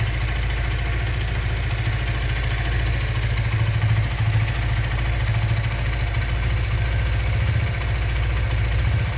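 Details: Honda CBZ motorcycle engine at idle: low, uneven clatter over a deep rumble, knocking throughout; cause unknown.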